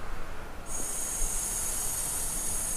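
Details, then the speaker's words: Yamaha Jupiter Z that won't start, with fuel leaking constantly from the carb: air blown through the fuel valve off the tank hose gives a steady high airy hiss for about two seconds. A good valve should let no air out, so it is leaking. "ini keluar ya keluar anginnya kalau misalnya yang masih bagus itu seharusnya enggak keluar"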